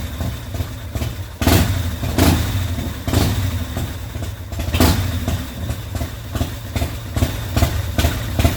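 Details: 2004 custom Harley-Davidson first start after fixing a primary chain gear that broke loose from the BDL competition clutch housing: loping, uneven V-twin idle with deep thumps and louder surges, no metallic clatter; normal idle.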